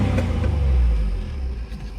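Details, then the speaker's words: Z car just revived, started first try, tachometer not working: choppy uneven beat with exhaust dropouts under throttle; clear misfire, owner suspects tune-up needed. "it sounds like it's got a little bit of a Miss in there I can hear it but it runs pretty strong a little motor"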